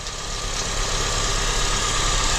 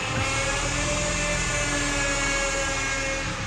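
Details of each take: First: 2003–2007 Honda Accord after power steering repair, engine idling, fluid still slightly bubbling while air bleeds out: steady even idle, no pump whine or groan; power steering quiet and healthy. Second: 2003-2007 Honda Accord on a cold start, engine running with AC off: steady mid-pitched whine when the steering wheel is turned, silent with the wheel straight; power steering pump starved of fluid from leaking line O-rings, fixed with new O-rings.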